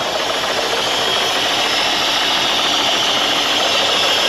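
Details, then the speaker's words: Holden Commodore abandoned in a farm paddock, idling while warming up: rough uneven idle stumbling three to four times a second over a hiss, missing badly, no devastating rattles; owner suspects it may be running on one cylinder, possibly injectors. "I don't hear any devastating rattles or anything like that. Yeah, you can hear it missing really bad."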